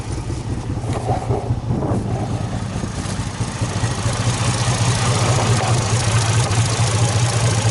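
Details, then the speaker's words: Flooded Nissan 350Z that sat over a year, running briefly after the mass air meter was fitted, on fuel of unknown age: low, lumpy, uneven idle that never settles and gets no response from the pedal, then shuts off; a vacuum leak is suspected. "Nope, shuts right off on a vacuum leak. But, I mean, it ran."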